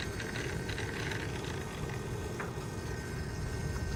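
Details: 700N DFC gasser-converted helicopter after about 10 minutes of flying: steady engine run with raspy tail gear whine and rattle, seemingly louder than before.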